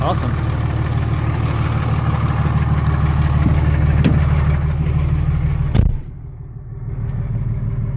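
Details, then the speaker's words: 24v Cummins diesel, about 330,000 km, warm at 89°C, idling outside after valve lash adjustment for a top-end tick; even steady clatter, no loud ticking, sounds considerably better, healthy. "but I can definitely tell sounds way better considerably better there awesome"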